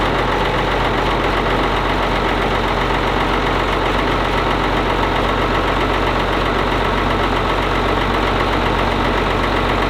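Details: Ford TW25 turbo diesel tractor just after filter and oil change, turbo pre-oiled by cranking; loud, steady diesel clatter at an even idle, about four beats a second, no misfire or hunting, running as it should.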